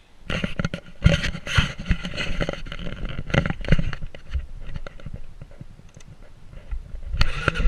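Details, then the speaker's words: 2008 Kawasaki KLR650 single-cylinder with an aftermarket CZR muffler and pipe (listed for a 2006) fitted via an adaptor. Idling with a deep, loud, even exhaust beat and no knocks or rattles; substantially louder than stock but not obnoxious. Normal idle. "It is substantially louder than the stock exhaust. It's not abusive or obnoxious."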